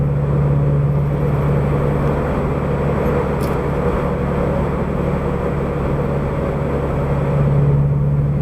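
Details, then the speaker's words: Subaru BRZ/FT-86 with aftermarket header and exhaust, recorded inside while cruising in sixth on the highway, after a hole was cut in the debris shield the header had rubbed. Constant low drone, noticeable but not harsh; no vibration or buzz. "rpms then as soon as I drop it into sixth and I'm just cruising on the highway that really need Rome it's noticeable but it doesn't bother your ears"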